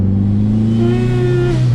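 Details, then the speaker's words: Dodge SRT4 Stage 2, warmed up, first drive accelerating through gears: engine pulls hard and a hollow rising tone joins as boost builds; owner suspects flimsy intake elbow collapsing under boost. "whenever it starts to get in boost I bet you it's sucking this cloth it's collapsing itself I bet you that that that is what's making that"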